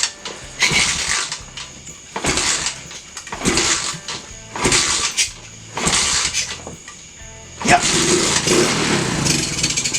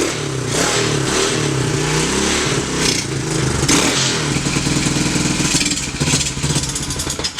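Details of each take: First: Free, previously seized TAO pit bike, single-cylinder, with no fuel and sprayed with brake cleaner: short cranking bursts about every 1.5 seconds, then it catches roughly at 7.7 s and runs. Doesn't sound bad. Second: Free, previously seized TAO pit bike with choke on: the engine runs rough and uneven, then falters toward stalling. Owner thinks it may be out of gas; the carb may need a bath or swap.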